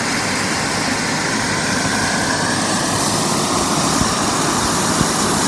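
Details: JetCentral model turboprop turbine on a test stand during its first start-up, temporarily fitted with a wrong-size test propeller: smooth steady roar with a constant high whistle, no surging or sputter; normal running at speed.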